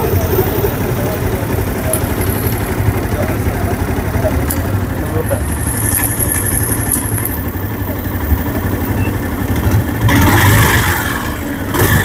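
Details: TVS Apache RTR 150 at idle after engine repair, following three earlier failed services: steady even single-cylinder idle with low thump and no knocks, ticks or rattles; engine now healthy.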